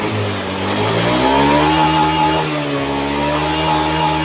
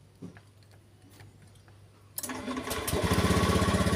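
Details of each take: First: Honda Scoopy scooter that was hard to start, just fitted with a new battery: engine runs rough and surges, won't rev on throttle. The fuel pump tests weak and pressure doesn't rise to the expected 40. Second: Honda Scoopy scooter after fixing hard starting and sputtering, fuel pump pressure near 50 confirmed: cranks once and starts easily, settling into a steady, even idle; now running smoothly.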